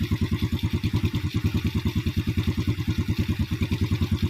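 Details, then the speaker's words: Yamaha Vega R New single-cylinder motorcycle whose idle would not stabilize, after valve clearance found too tight and regapped and carburetor idle adjusted; slow even thump around three beats a second, idle now stable, engine keeps running. "and when you crank it, it feels heavy, Bro, it's going to idle, yes, it's stable, yes, I'll turn it down again, and the engine is about to roar, Bro, OK, yes, it's stable"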